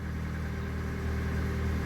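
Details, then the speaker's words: Opel Agila 1.2 16v petrol idling right after reassembling the fuel pump; steady, even low idle with no misses, knocks or stumbles, oddly a bit louder after penetrating oil was applied; engine runs normally again. "voilà petite voiture redevenue vivante et bizarrement avec le petit coup de dégrippant elle fait plus de bruit"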